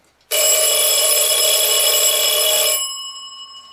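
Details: Forestville wind-up alarm clock, rewound after repair and reassembly, with the re-oiled movement: a fast, even metallic ring for about two and a half seconds that stops cleanly. The alarm bell works normally.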